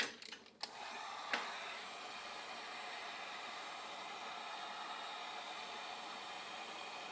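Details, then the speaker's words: DC arcing across a Missouri Wind and Solar 140-degree DC thermostat on 1280 W solar panels feeding a 240 V/4500 W water heater element directly: clicks then steady sizzling hiss, 104 V at 8.24 A, blue arc, contacts unable to shut off. "So you can hear it's arcing, and see the blue arc in there, but it's not shutting off. It's just unable to shut off."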